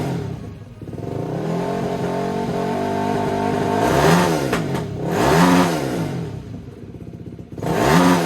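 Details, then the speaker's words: 2004 Yamaha YFZ450 single-cylinder race quad, restored after sitting a while: started right up, repeated clean throttle blips with no knocks; sounds healthy though throttle response is poor. "guys, there you have it. This thing rips. This sounds gnarly."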